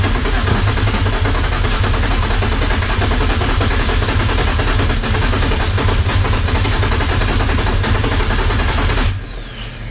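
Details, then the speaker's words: Nissan 240SX S13 during engine swap, after swapping two connections: steady cranking with uneven stumbling beats, tries to catch but never starts. "y'all heard it though right y'all heard it it kinda wanted to start it's trying you guys can hear it it wants to it wants to"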